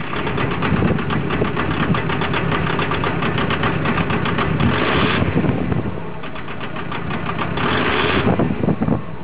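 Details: VW Golf MK4 TDI diesel: uneven, lumpy idle with loud clatter, rhythm stumbling and surging; rough idle.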